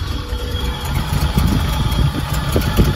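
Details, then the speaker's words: Rock crawler with 40 psi fuel pressure: uneven, lumpy, stumbling idle right after startup with a strong fuel smell, then cleans up and runs fine; cause not yet found. "you can see now cleaned up it only does this on Startup after it does that it acts fine"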